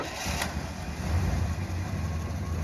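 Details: 1966 Plymouth Fury III 318 V8, revived after 25 years sitting, starting for its first drive; it fires right up and settles into a deep, steady, even idle with no stumble or knock, sounding healthy.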